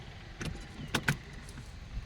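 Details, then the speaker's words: Kubota MU5502 4WD tractor that often fails to start, gear in neutral, key held to start; only a couple of sharp clicks about a tenth of a second apart, no cranking, suspected to be a faulty connector, to be replaced. "நம்ம வண்டில பாத்தீங்கன்னா இதுதான் problem. இந்த கனண்டர் பாத்தீங்கன்னா இப்போ இப்ப என்ன கொஞ்சம் செலவுதான் 230 ஆகும்."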